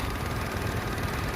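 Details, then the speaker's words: Suzuki Amenity petrol engine with a used head, just started after an oil change without a new filter: quiet, low, even idle with a soft steady beat and no ticking or knocking, nearly silent. Normal idle. "halus banget. Suaranya nyaris tak terdengar dengan memakai head copotan."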